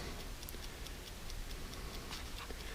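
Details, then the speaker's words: 1969-71 Lincoln Continental Mark III dash clock, serviced and out of the dash, points not firing without power: steady, even brisk ticking with no skips; the clock is running normally. "It's not gonna fire because I don't have power to it. But there's the clock running."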